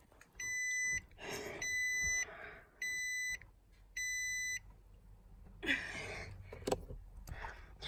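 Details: 2017 Nissan Armada cabin: four evenly spaced electronic beeps, each about half a second with similar gaps, then handling noise; warning chime, cause not evident.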